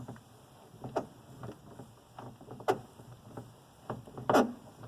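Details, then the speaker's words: 1987 Mercedes 300 SDL door check strap gives short dry creaks and squeaks as the door swings because it needs grease. "here's the door strap and that squeaks because it needs to be greased"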